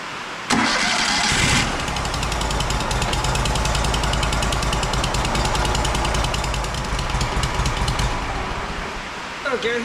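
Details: WoodMizer LT35 sawmill 25 hp Kohler engine, run after oil change with 10W-30 and filter service, in rain: steady, even run at constant speed with no knocks or misses; normal running.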